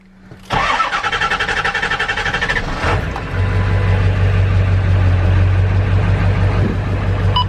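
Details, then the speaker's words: Truck after the clogged pickup filters were found and the fuel pump and sending unit replaced, tank just under half full: brief cranking, then catches and settles into a steady, even diesel idle, not cutting out, not yet warmed up. "she seems solid she seems to idle pretty good and I just I have the level of fuel that's in the truck that's really the most important part but she's idling good it also seems like she's not cutting out"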